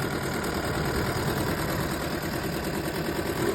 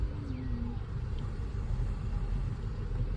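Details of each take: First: Chevrolet Cruze with misfire codes at idle: a lumpy, uneven idle with irregular stumbles. Oil from a leaking valve cover gasket was fouling the spark plug wells and coils; the fix is a gasket replacement and oil cleanup. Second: Chevrolet Cruze after replacing a leaking valve cover gasket that let oil into the coil wells, coils refitted, codes reset: even low rumble with no missed beats or shake; normal idle on all cylinders, misfire fixed.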